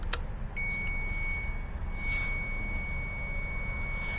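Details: 2008 Buick Lucerne CXL 3.8L, P0300 misfire, no spark: multimeter click then steady unbroken continuity beep across two ignition control module pins; shorted module, replacement cured misfires.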